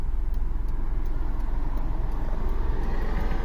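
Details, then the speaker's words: 2003 Honda Civic 1.7L with intermittent loss of power and no codes, test drive at about 50% throttle: dull, muffled, strained low drone with no misfire, barely accelerating; sounds like a restricted exhaust. "We don't really have any misfires. There's like some counting, but not much, so I ain't worried about that. Sounds like a restricted exhaust."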